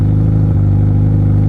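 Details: Hot Yamaha R1 (5PW) with a Coffman slip-on and K&N filter, idle being adjusted by hand: an uneven, choppy low idle with a brief stumble; rough idle, cause not determined.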